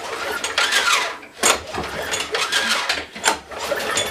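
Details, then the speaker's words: Old push mower, plug removed, pulled over by hand: repeated rope pulls with a ratcheting whir as the engine spins freely without firing; turns over, compression can't be judged with plug out. "does in fact turn over it sounds like it might have some compression obviously you can't tell with a plug out of it"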